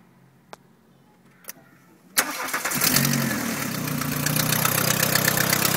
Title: 2H klappert / KRÜMMERRISS!